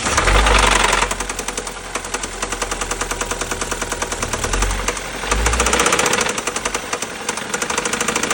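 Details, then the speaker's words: BMW N20 (B20) petrol engine with a rod knock: sharp, rapid metallic knocking through the running engine, harder when revved. "N 20 B20 слушаем звук стучащего шатуна."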